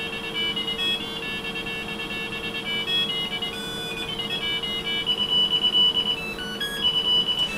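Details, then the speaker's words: 386SX 25MHz PC, internal buzzer played a tune from the PC Check test program. Thin, clear beeps step through a simple tune over a faint steady hum: the speaker is working. "Well, there's definitely no denying that its buzzer works, at any rate. That's probably the best rendition of that tune I've ever heard."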